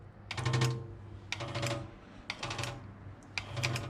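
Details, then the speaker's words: External RO booster pump on high-pressure switch (off 3 bar, on 2 bar): slow flow makes pressure build fast, so the pump short cycles in about one-second on-off bursts, which will damage the pressure switch. "If you running on off like this, you will damage your pressure switch and make sound like this, on off."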